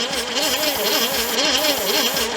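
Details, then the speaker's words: 1978 Ford Fairmont station wagon sitting 35 years, after moving the distributor timing a lot: starter spins the engine with an even whirring pulse about four to five beats a second, only a feeble try to fire; owner thinks popping comes from the intake. "I turn the distributor a bunch it is trying you can hear it but it's a it's a very very feeble try"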